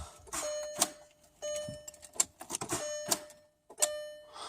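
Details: 1999 Dodge 1500 truck, key on, engine not running, after a jump-start hookup: a bright two-tone chime repeats about every second; dashboard warning chime of unknown cause.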